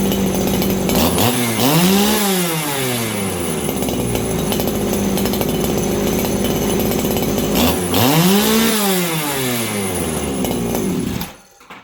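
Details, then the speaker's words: Farmertec 288 kitsaw, a 90 cc aftermarket two-stroke chainsaw with the low jet freshly tuned; it screams to a thin, piercing, harsh top speed twice, the high-speed jet running really lean. "Okay, I got my low jet tuned. My high jet seems really, really lean right now."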